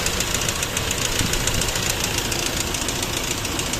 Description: the noise of the engine was rattling sound appears on the front area of the engine common issue for 1gd engines.